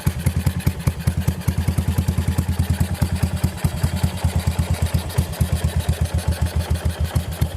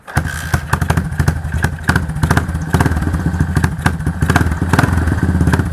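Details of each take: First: Yamaha SR400 single-cylinder at idle before repair, owner complaining of loud engine: steady beat with busy mechanical clatter on each firing, valve rocker arms found with side-to-side play. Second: Yamaha SR400 single-cylinder after repair of noisy engine by replacing worn valve rocker arms: even steady idle thump with no top-end clatter; mechanic says this is the quietest he has heard, normal idle.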